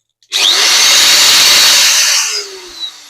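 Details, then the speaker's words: Bosch GWS 14-125 CIE angle grinder after repair of a foreign noise and slipping: 608 and 607 armature bearings fitted, gear reinstalled, brushes refitted. Test spin spools quickly to a steady high whine with no rattle, coasts down smoothly; works very well. "Всё работает очень хорошо."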